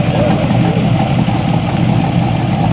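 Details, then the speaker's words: Corvette small block V8, owner-rebuilt: deep, even, lopey idle burble with no misses or knocks, sounding good and smooth; normal idle. "Sounds good, smooth too."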